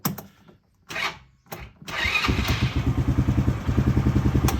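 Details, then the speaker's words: Polaris RZR 170 youth side-by-side after stator repair, battery a little weak; previously took about five minutes to start: a couple of quiet turns, then catches at once and settles into a steady even idle; normal quick start. "now this thing normally it would take probably a good five minutes to start and there it is"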